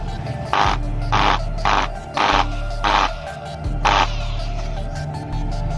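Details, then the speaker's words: Electric drill with worn casing screw threads that can no longer be tightened: short bursts of harsh, rough whirring; the loosely held bearing wobbles and growls because the casing no longer holds it, not an armature fault. "terus kemudian juga akan berdampak Goyang Jali bearing itu tidak bisa permanen Hai karena casing-nya ini sudah tidak lagi mampu menahan Sedih saat dinyalakan seperti ini"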